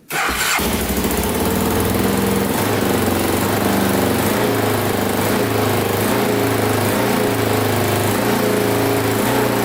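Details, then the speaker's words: 2000 Can-Am DS650 quad, top end rebuilt, first runs, pipes still smoking off: single fires up quickly, fast even idle, no top-end noise, good response and power; idle too high, cause unknown. "sounds pretty good i don't hear any top end movement at all response is really good seems like it's got lots of power um but that that it's still idling pretty high i don't know what's going on with that"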